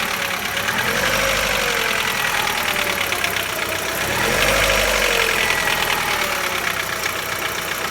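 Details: Chevrolet Lacetti 1.6 engine idling cold; light uneven tapping about four per second over the engine; cold-start knock, nearly inaudible when warm, source not pinned down.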